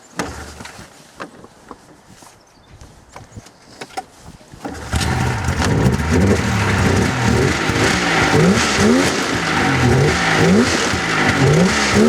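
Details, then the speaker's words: 1996 Polaris XLT 600 two-stroke snowmobile, the good-running one compared with a 1998 sled that bogs. After a few quiet seconds it snaps into loud rising and falling revs, responding right away each time with no bog: normal throttle response. "but this one it just responds right away so I'm pretty sure you'll be able to hear the difference"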